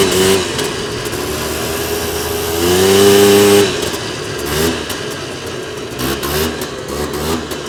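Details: 2001 Polaris Xplorer 250 4x4 two-stroke quad in high range, straight gas with working oil injection, after earlier bogging: crisp buzz climbs smoothly, holds high steady pitch under load, then backs off; pulling clean at full power.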